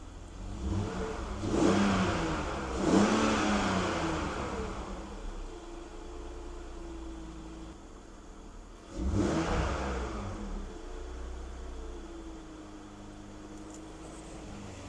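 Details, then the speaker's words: BMW E46 330i, warm, engine revved twice with mic up close; steady whining hum under the revs, steering a little tight when turning; noisy power steering pump, owner suspects low power steering fluid. "sounds like you could use some power steering fluid"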